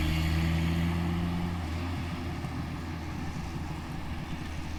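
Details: Toyota pickup 22RTE four-cylinder with T3/T4 turbo at 8 psi boost, hi-flow cat and muffler: revs up then settles with a raspy buzzing brrr over the exhaust note, much of it from an exhaust leak at the wastegate.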